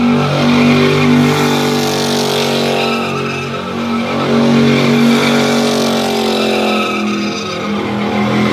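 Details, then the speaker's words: Burnout truck on first gear test rip, down on power: engine screaming at high revs with a thin, steady tire squeal; only one wheel spins, supposed limited-slip differential not working, spider gears later welded. "But the other thing that I'm noticing is that the truck doesn't want to rotate at all. It's supposed to have a limited slip, we think."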